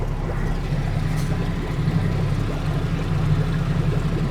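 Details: Yamaha 90 hp four-stroke outboard running at troll speed using the 6Y8 gauge trolling control: low, smooth, steady hum with water churning, no knocks or rattles.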